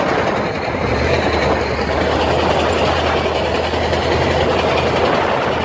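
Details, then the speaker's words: 1996 Jeep Grand Cherokee ZJ Limited while driving: a loud, rough roar with rattly clatter that swells with road speed, plus shaking like a death rattle from the front end. Owner suspects a bad pinion bearing or differential; not confirmed. "yeah that's just sounds horrible horrible so I don't know then and then it has it has this up it has this up shaking that goes along with this like a death rattle"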